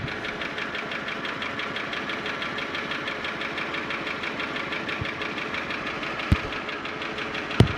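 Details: Holden Commodore VY V6, Series II Buick 3800 / Ecotec 3.8, steady idle with a sharp repetitive tick keeping time with the engine; owner suspects lifter tick but unsure if valvetrain or bottom-end, not confirmed.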